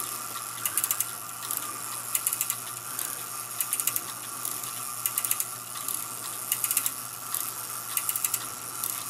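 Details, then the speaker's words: Railroad house cuckoo clock after new lantern pinion trundles, bushings, pivots, rebuilt chain wheels and cuckoo mechanism, test run on 750 g weights: evenly spaced, clean clicking and ratcheting bursts about forty a minute. Normal hour strike. "let me run this or out of the hour yeah just one end a warning there it's striking"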